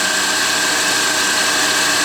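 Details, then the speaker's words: 2005 Mini Cooper JCW supercharged, persistent belt squeak, a belt recently lost and power loss: at idle a bright hiss and faint steady high tone as the wobbling harmonic balancer makes the accessory belt rubber squeak on the pulley. "so just like you have gym shoes that squeak on the floor the rubber squeaks on the pulley"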